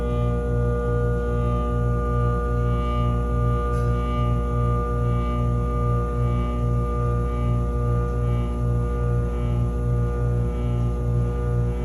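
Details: Furnace giving a steady low drone with a faint rough pulse about twice a second, humming/grinding; capacitor tests OK, cause not found.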